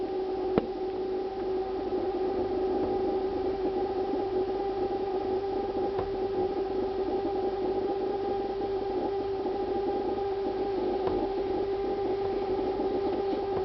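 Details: Refrigerator producing a steady, siren-like, mid-pitched whine with a fainter higher tone, unchanged, lasting about two minutes; owner considers it abnormal, cause unknown; the ventilation fan starts up afterward.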